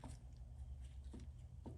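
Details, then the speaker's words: 2nd-gen Toyota Tundra, lower ball joint with a torn boot found while replacing lower control arms; dull, low clunks about every half second as the arm is worked by hand; the ball joint is worn out. "hear the clunk? There it is. Those ball joints were done."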